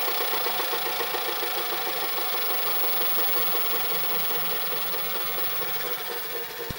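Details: Panasonic NV-SD430 VHS recorder (Super Drive, Z mechanism): thin mechanical whirr with rapid, uneven clatter about three per second from the tape mechanism; cause not yet known.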